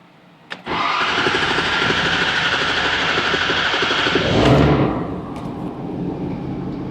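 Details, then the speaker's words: 2011 Ford F550 6.7 Powerstroke diesel after reprogramming injector quantity adjustment codes: fires up and settles to an even, steady idle; the previous injector knock is gone. "uhhuh huh the knock is gone listen to that"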